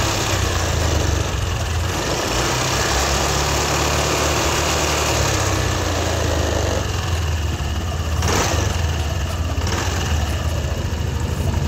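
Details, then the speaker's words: Yamaha Aerox V2 scooter engine idling, before repair: fast metallic marble-like rattle over the low idle beat; after repair the engine sounds normal. "So wala ka ng wala kang maririnig na yung tinatawag parang lagatick o parang jolen kung tawagin."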